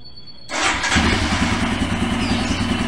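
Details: Royal Enfield Himalayan that died while riding, after its injector, fuel filter and fuel pump were cleaned and the relay replaced: the starter catches quickly, then a steady thumping idle near three beats a second. Starts and runs normally.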